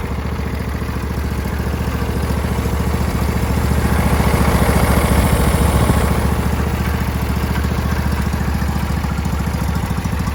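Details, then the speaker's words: Husqvarna YTH21K46 riding mower with replacement Briggs V-twin, carburetor that flooded severely, after new seal kit, choke out: even, steady putter about 214 beats a minute, smooth with no stumbling or flooding; problem fixed. "That's good. No flooding. And it's still dry. Looks like it fixed the problem."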